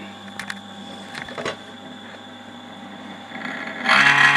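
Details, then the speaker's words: Cifer 2486 Intelligent Terminal last used 1982, 240 volt 50-60 Hz 12 watt cooling fan: a few clicks, then the fan spins up into a harsh steady high-pitched screech; dry worn fan bearing, rest of the unit runs fine. "There you go. The little fan's making all that bloody noise. Yeah, that's horrible, isn't it? Wasn't for that, it would be running fine."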